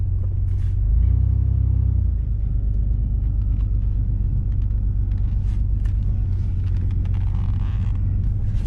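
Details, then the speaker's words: 1999 Ford Ranger after clearing the air box, where animals had left shredded paper: brief blip, then a low, steady, even idle with no stumble or hunting. Runs better now that the clog is cleared; normal idle. "all right so I'm really glad I check that and clean that out because now it sounds like it's running even better that was definitely clogging things up"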